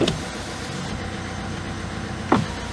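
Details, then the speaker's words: Citroen Berlingo (Peugeot Partner) with secondhand BSI and immo-off EDC17C10 diesel ECU, engine idling: two short power-window motor whirs as the glass moves smoothly; windows, indicators and wipers now work, economy mode cleared, normal operation. "we have electric windows indicators wipers economy mode test passed"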